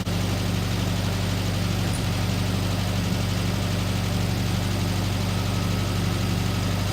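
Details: 1974 VW Beetle (Sunbug) air-cooled flat-four, first run after 30+ years in storage, fed from a small temporary tank: steady, even low putter with no misses, knocks or hunting; idling smoothly and healthily.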